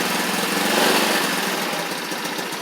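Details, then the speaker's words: X-Pro X20 GY6 scooter with suspected remaining vacuum leaks: fast, buzzy single-cylinder putter idling a bit high and steady, because any lower it tends to stall; cause of high idle suspected, not confirmed. "It sounds like it's idling a little high, but any lower and it just wants to conk out sometimes."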